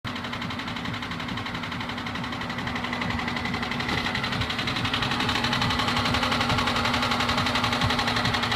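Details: Chevrolet Niva engine running: a steady, even ticking knock of about four per second that grows louder. Knock from inside the engine, cause unclear.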